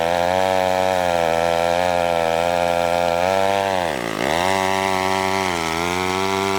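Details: McCulloch 1-42 two-stroke chainsaw, restored project saw, cutting wood: screaming at high revs, bogging briefly as it bites and recovering cleanly; strong, healthy cutting.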